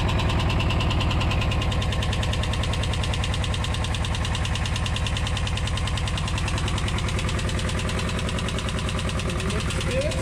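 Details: VW T3/T25 van ("Buggly") engine idling during a minor home service: fast, even ticking about three per second over the idle, quite tappety because it hasn't had a long run for a while; suspected valve tappet noise, not confirmed.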